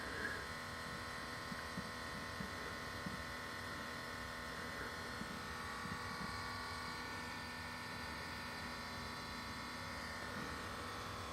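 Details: 2016 Subaru WRX STI, engine turned off: quiet steady electric hum at even pitch from the fuel pump running its pressure test; completely normal.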